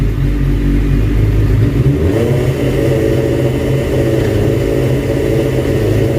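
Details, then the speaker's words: 2005 Suzuki GSX-R750 on the stand, no load, after adjusting the idle: settles from steady idle into clean, even revs with no stumble or misfire; normal revving, fix worked. "All right, so the idling actually did the trick, and as you saw, the bike is now going through the shift."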